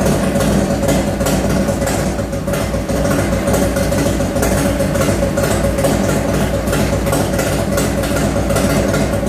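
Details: 1995 Harley Heritage first run after rebuild with Screaming Eagle heads, bored cylinders, Wiseco pistons, Woods WH6H cam, Daytona Twin Tec ignition, Mikuni 42 carb: loud lumpy even V-twin idle, strong low rumble, no tapping; healthy.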